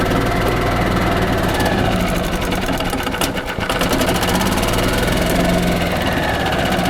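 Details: 1995 Yamaha G14 gas golf cart, after starter generator replacement and PCV hookup, earlier would not restart or crank: small single-cylinder engine runs at a fast, steady chatter, even firing, no misses.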